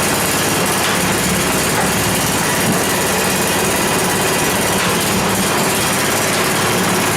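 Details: 10 HP Tecumseh Yard Machines snow blower that had sat unused a long time, started on full choke after priming: it catches and holds a steady, buzzy high-pitched run with no misses or stumbles. Normal running.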